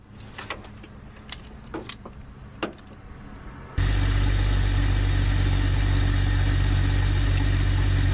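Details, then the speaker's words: 1997 Jeep Cherokee that would not start. After the negative and positive battery terminals and cables are cleaned, a few faint clicks are followed by the engine catching at once and settling into a steady, even idle. The no-start was fixed by cleaning the terminals. "now that both terminals are nice and clean and lola starts that's a good thing"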